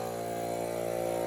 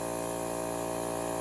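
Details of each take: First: Vintage Craftsman air compressor, long unused and revived with a new capacitor, running nonstop with a steady buzzing drone and rapid even pulse; fairly worn out, no intake filter, and the pressure switch no longer shuts it off. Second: Vintage Craftsman air compressor, worn and with a pressure switch that no longer shuts off, humming steadily until a rushing hiss as a test pop-off valve opens at its printed 111 psi rating, working as it should.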